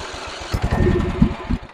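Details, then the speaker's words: Antique Simplicity rear-engine riding mower, abandoned 32 years, first start attempt with fuel primed into the carburetor: about a second of ragged cranking with a few uneven firing chugs, then it dies; owner suspects a choke issue. "I think we got a choke issue here"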